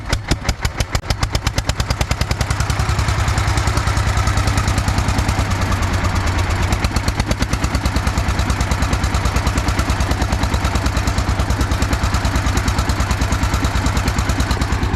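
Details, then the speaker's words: Russian DT-14 tractor single-cylinder diesel, hand-cranked cold start after 10 years, following coolant service and oil check: catches quickly and settles into a steady, even thumping idle with no misses or knocks. "അപ്പോൾ എന്താ വെച്ച് കഴിഞ്ഞാൽ ആ ഒരു Russian എഞ്ചിൻ്റെ ഒരു ക്വാളിറ്റിയാണ് നമ്മളിവിടെ കണ്ടത് കേട്ടോ. കാരണം എന്താണെന്ന് വെച്ച് കഴിഞ്ഞാൽ സിമ്പിളായിട്ട് വണ്ടി സ്റ്റാർട്ടായി."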